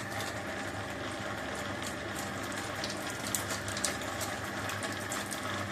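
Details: 1 HP single-phase water pump motor after replacing a busted running capacitor; before repair it ran slowly and gave no water: quiet, even motor hum with water rushing, no growl or stalling. Normal running after repair.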